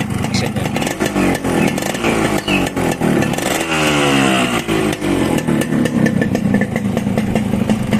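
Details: 1993 Yamaha RX-S 115cc two-stroke, reportedly standard bore (not yet oversized), Mikuni carburettor; reportedly smoky exhaust not yet cleaned. Crisp, uneven popping exhaust with light clatter and no knock underneath: a normal, healthy two-stroke idle.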